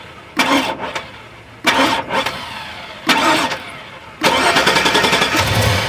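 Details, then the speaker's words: 2002 Chevrolet Avalanche, Vortec 5.3 V8, failed on cold start; three short cranking bursts and a longer fourth, starter spinning the engine evenly but it never catches: crank, no start. "Nope, I'm still dead. I want to try and crank it up again."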